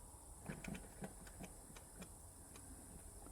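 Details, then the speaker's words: Wilesco D455 toy steam engine, boiler about half full, gives soft uneven chuffs and ticks under a faint hiss as it clears water and picks up speed; very quiet, normal start. "Quiet. Yeah. How quiet that is. Very quiet."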